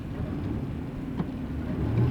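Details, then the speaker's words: Toyota Sienna van driven on road: single dull clunk felt and heard when working the throttle, from a worn/broken engine mount; owner feared transmission failure, but transmission shifts fine. "you can feel and hear the clunk that's because the mount's worn she was worried that the transmission was going out"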